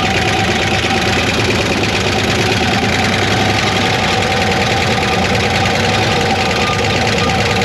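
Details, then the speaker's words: 1960 Corvair 80 hp, revived after sitting in a field since 1991, warming up after oil priming: steady rough idle with a fast light ticking riding over it; lifter tick, owner plans lighter-weight oil to quiet it. "I want to add some more oil to maybe get rid of some of that lifter noise"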